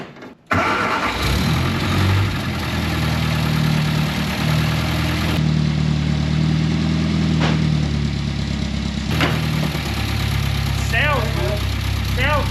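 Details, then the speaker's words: 1961 MG Midget Mk1 Roadster parked since 1971, first start after 54 years once the oil line was replaced, about 60–65 psi oil pressure, no cooling system fitted: starts cleanly after a brief crank and settles into a steady, even idle with no knocking. "Yeah. Sounds so good. That's awesome. That is awesome."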